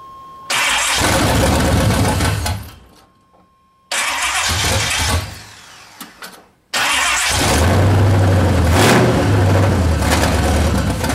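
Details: C30 383 stroker V8 fitted with a high-torque racing starter in place of the stock starter: two quick, strong cranks, then it fires and settles into a firm idle; normal healthy cranking and start.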